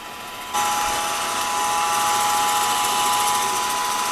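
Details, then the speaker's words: Older Rockwell drill press being restored, with a used motor and repainted pulley, running unloaded with no cover after the first-start noise went away: steady, even whir with a clean constant tone and no knocks or rattles. It sounds healthy, quiet and smooth. "Boy, I am really happy with how quiet and smooth that thing is. I am really happy with it."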